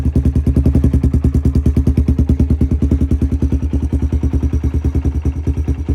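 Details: Honda 300EX ATV just started after months of sitting, choke on: quick, even single-cylinder thumping holding a steady idle with no misses or knocks; settled cleanly, normal idle.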